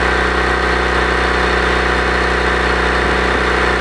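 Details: Honda: loud engine with rapid rough puffing rasp over the exhaust note, about four pulses a second—exhaust leak.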